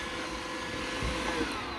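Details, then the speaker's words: iRobot Roomba with the brush rollers removed after aftermarket rollers caused squeaking: steady, even suction whoosh and faint fan hum with no clicking or rubbing, a normal baseline. "i removed the rollers all together and i got no noise at all it works clean you can just hear the sucking vacuum no clicking no rubbing perfect"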